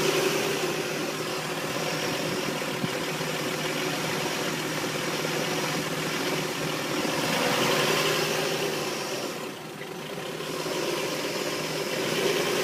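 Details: Engine just after a head gasket replacement idles roughly with a slightly uneven, wavering beat and a constant airy hiss; owner suspects a vacuum leak, unconfirmed.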